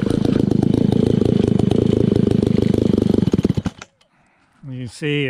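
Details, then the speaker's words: Old, beat-up Alpina Pro 120 chainsaw, 120cc, carb kit just fitted, low compression suspected from a worn piston and cylinder. It takes a while to start, burbles raggedly for about three seconds, then dies; the carburetor adjustment won't stay, so it won't hold idle. "takes a little bit to start the carburetor adjustment doesn't want to seem to stay you have to keep on messing with the carburetor to get it to idle"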